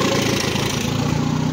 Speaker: Tak voľnobeh normálny, tak ako má byť.